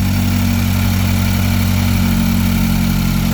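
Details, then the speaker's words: Mazdaspeed with CST5, Bayson R, Coolboost meth kit and 350z intake vent, first startup after install and ECU trouble codes cleared via Accessport: smooth, even idle with steady low hum, no knocks, ticks or hiss; smoke is residue burning off turbo hot side, not a leak. "Okay guys, this is the first startup. Hopefully we've done everything right. Sounds good so far."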